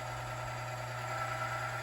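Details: Lubricity test machine comparing oil boundary-layer protection with BestLine Racing Diamond Nano-lube: loud at first, then quiet once a flat spot forms on the test bearing; steady low hum with smooth rub, no scraping; normal running.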